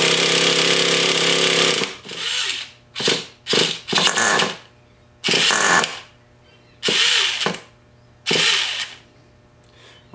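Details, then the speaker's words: Rebuilt Traxxas T-Maxx .15 nitro engine with new electric starter motor: short uneven bursts of high buzzing cranking stopping and restarting as the starter's one-way bearing slips; engine starting to fire, bearing needs replacing. "you can see, I'm still having a few problems with the one way. Uh, it looks like I'm going to have to order another one, but it is starting to fire."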